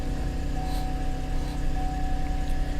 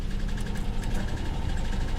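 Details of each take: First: Salvage car at auction, listed as a no-start, oil pressure reading 70: starts and holds a steady, even idle with a faint constant whine and no knocks or misses; normal idle. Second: Salvage-yard V6 car with a Shaker audio system at idle: low, uneven lumpy beat under a steady rumble with a felt misfire; a lifter tap, piston slap or possibly rod knock is suspected, unconfirmed.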